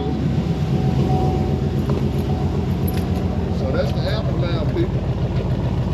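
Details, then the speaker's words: 1993 vehicle with newly installed 355 V8 and 400 transmission, started on a weak battery: steady burbling idle with an even beat, no lifter tick or misfire stumble; sounds like it's supposed to. "That's the aftermath. Yes, sir. Sound like she's supposed to."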